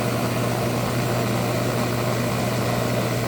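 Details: Hot tub pump motor with a suspected bad wiring bundle, before those wires are disconnected: a steady low hum with a rough, noisy edge; the source isn't confirmed; abnormal motor noise.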